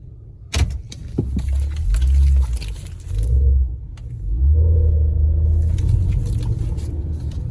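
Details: Honda real-time AWD (CR-V/Pilot/Element type), 173,000 miles, rear differential fluid probably never changed: low shuddering groan in bursts only during slow tight turns, K-turns and parking; rear diff clutch chatter from old fluid.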